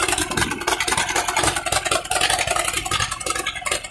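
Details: Allis Chalmers CA tractor at first start after a Marvel Schebler carburetor rebuild: lumpy, uneven idle stumbling every few firings, sounding like a misfire on one cylinder; smokes a little but has good oil pressure and otherwise runs okay.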